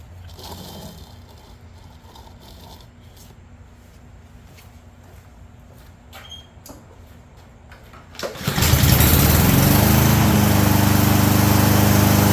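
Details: Push mower that had no start/no spark, now fitted with a too-long cable wrapped to length; after a pull the small engine catches at once and runs steady, even and strong with no misses.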